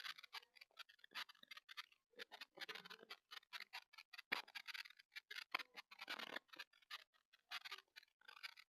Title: TP-Link Tapo C225 Indoor PT Camera – Poor Audio Quality Test (Crackling Noise in Silent Room)